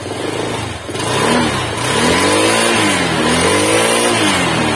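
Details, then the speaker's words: Honda Vario 125 scooter after engine overhaul following oil neglect: double-starting only gave a "lep-lep" sputter before repair; now smooth, even revs climbing and falling cleanly with no knocks or rattles, normal running. "Oke bosku, alhamdulillah sudah selesai di kolter ya. Dan suaranya halus bosku, suaranya bosku ya, halus ya."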